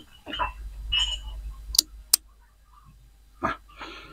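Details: Extreme PL9001 power amplifier being repaired for power-stage and soft-start relay faults: the protect relay is tested under power and gives two crisp clicks about a third of a second apart over a quiet background; normal protect relay engagement.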